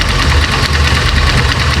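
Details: Italika Z-200 motorcycle at idle, microphone moved close to the right side of the engine: fast, tinny rattling clatter over a steady low idle, worse when the throttle is released; worn clutch basket, replacement part arrived.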